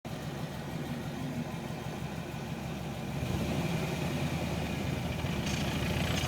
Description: 92 Camaro RS 305 TBI Loud squeaking noise coming from transmission shifter boot. The noise only occurs when on first gear and letting off the clutch pedal